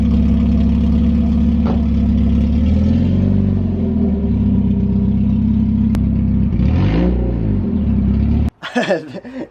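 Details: 1991 Mazda Miata 1.6 with new aftermarket headers, downpipe unconnected and gapped from the catalytic converter: loud, raw, blatty rumble swelling on each throttle blip, compared to a Harley. Exhaust leak at the disconnected downpipe.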